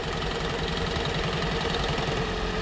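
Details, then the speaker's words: 2012 Toyota Prius, cold morning start: rough, shaky idle with an uneven low pulsing rattle and a very strange engine noise. "Este auto tenía un problema que en las mañanas cuando lo encendía, ¿verdad? Y empezaba a funcionar el motor, hacía un ruido muy extraño, como si algo estuviera"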